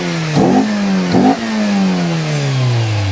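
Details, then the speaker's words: 200,000-mile MINI Cooper engine, no coolant in it so revved only briefly; two crisp throttle blips returning to smooth idle, no knocks or bangs; normal revving, healthy engine. "200,000 miles, and it runs like that, completely faultlessly. No knocks, no bangs, everything works."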